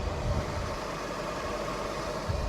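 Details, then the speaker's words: Infiniti G37S that sat untouched for at least 2 years, idling in about 20-degree cold; faint constant hum over low engine rumble that changes when the AC compressor is cut on and off, so the AC compressor is suspected. "I think that's definitely the AC compressor. See how it changes when you cut it on and off?"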